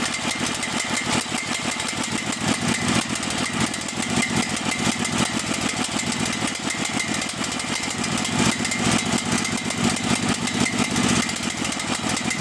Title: Cael mini excavator: rough idle and die